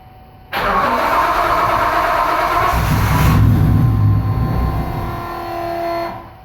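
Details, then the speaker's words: 1999 Nissan Frontier SE, turbocharged VG33E 4x4 with a custom fuel system, during start attempts after earlier ignition-timing problems: it catches, runs roughly about five seconds, swells, then dies. Oil pressure is good; the cause is unknown. "Alright, so once it gets running, something is happening that it doesn't like. So it turns back off."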